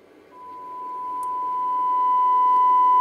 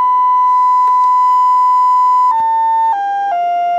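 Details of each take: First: Breadboarded LM380N bridge amplifier (two LM380s, datasheet circuit) fed 1 kHz, 500 mV test tone; steady high tone rising in level with hiss underneath, little gain: amplifier passes signal but is noisy, cause not yet found. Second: Bridge amplifier built on a breadboard from two LM380N chips, driving a speaker: a steady, clean test tone steps down from about 1 kHz to 500 Hz with no buzz. One speaker side gets positive while the other gets negative, as intended.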